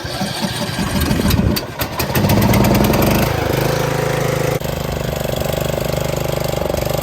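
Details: Riding lawnmower, 12.5 (hp) replacement engine, 6-speed, 42-inch deck, which wouldn't fire and sat for years. Cranking and sputtering catch into a steady, even putter at constant pitch; the engine starts and runs properly.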